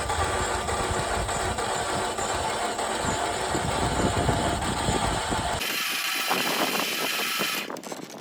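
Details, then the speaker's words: 2015 Ram ProMaster 2.4 MultiAir that suddenly stopped starting: fast, light cranking with no compression pulses, as if the valves or timing chain had failed. Air trapped in the MultiAir actuator was holding the valves shut, fixed by pushing the valve while cranking. "Ese, que ya no arrancó, pero no solo ese, sino que se escucha como si el vehículo no tuviera compresión, como si se hubieran ido las válvulas o la cadena de tiempo."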